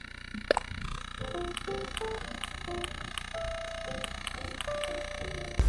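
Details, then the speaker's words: Steady low electrical ground-loop buzz under game music when recording audio from a docked Nintendo Switch; disappears undocked, solved with a ground loop isolator. "i always hear the buzzing noise when i'm recording from nintendo switch the noise sound like this"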